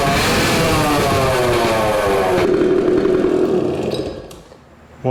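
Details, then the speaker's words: 1970 Suzuki TC-90 two-stroke run with exhaust baffle removed for cleaning: rapid raspy buzz rising and holding, then dying away; loud unbaffled exhaust, sounded good but not yet tested under load. "that baffle and we'll see but that sounded pretty good but again we want to see it under load and see how it performs"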